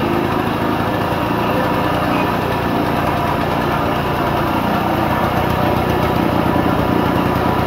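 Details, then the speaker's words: 1940s Simar two-wheel tractor rotary tiller, single-cylinder engine, first run after priming the carb: slow, uneven, loose chugging that sags, then stalls because the idle speed is set too low. "It stopped. Too low idle."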